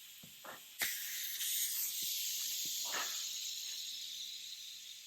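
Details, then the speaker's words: Rover P6 3500 V8, unrebuilt engine with rocker shafts removed so valves are shut; steady hiss of compressed air held in the cylinder with no gurgle or rush; low leakage, normal cylinder leak-down. "d we're here we have a pretty good cylinder for uh an unrebuilt engine"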